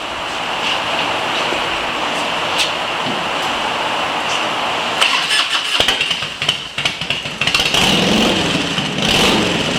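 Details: Harley-Davidson EVO V-twin after EFI-to-carburetor conversion, first test run: starter whirs, engine fires into a lumpy uneven idle with a few throttle blips, running fine.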